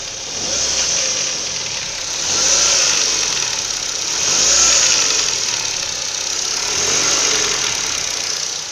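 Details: Ford Focus 1.6 8-valve: steady idle under a loud high hiss with a light, uneven tapping knock from the engine; cause not yet clear.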